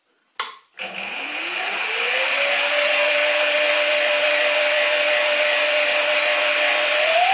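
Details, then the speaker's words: Stepper motor on DM556 digital driver, full steps at low rpm: clean, steady tone climbs as speed rises then holds with no roughness or holding hiss, absolutely quiet, normal running. "now let's try the m556 driver so right off the bat it's holding well and there's no noise and on small rpm with full steps it's absolutely quiet"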